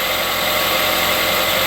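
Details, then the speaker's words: 2008 Ford Escape 2.3L idling after tensioner, idler and serpentine belt replacement: even, steady hum with no chirp or squeal. The earlier squeak, which quietened when warm, is gone; the worn tensioner is believed to have been the cause. "And I don't hear any squeaking. So that tensioner was feeling kind of worn and everything, so I think the problem was in the tensioner."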